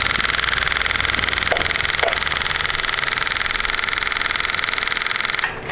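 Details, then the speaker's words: Carbureted motorcycle fitted with a cheap Chinese fuel pump: fast, even buzzing chatter around three beats a second that never cuts out; pump keeps running instead of stopping, suspected failing or overheating, possibly a dead internal sensor. "this is gonna suck because it should stop pumping and it's not continuing to pump"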